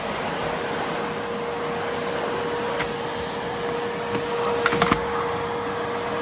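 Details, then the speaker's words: 1980s Hitachi 790 (1300 Powerhouse) bagless cylinder vacuum after full refurb, basic straight suction head fitted: steady, even motor rush with faint constant hum and brief handling clicks; sounds much better and more powerful than before. Normal run. "okay now that just sounds so much better no question"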